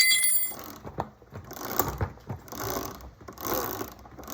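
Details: Razor electric minibike with Midwest Minimod 5-inch extended swingarm, 72V, #35 chain, after tightening the chain: light, even whirring and ticking from the spinning rear wheel, no slapping or bouncing; earlier grinding from a loose chain gone.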